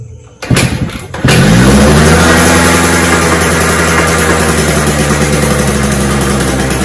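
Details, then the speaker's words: Suzuki Shaolin survivor bike before restoration, on reserve fuel: cranking thumps then buzzy, slightly uneven running only on choke, won't idle; suspected blocked carburettor pilot circuit. "so the problem with the bike immediately that I could notice is it's not idling so that could be due to multiple reasons one of the reason is that the pilot circuit is blocked it starts on the choke"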